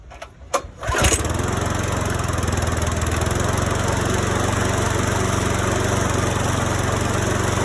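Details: Cobra rear-roller lawn mower swapped to a Briggs & Stratton engine, first start in 4 months at 10°C on Stihl Moto4Plus fuel: a pull or two, then it catches and runs steady and even with no misses; normal cold start.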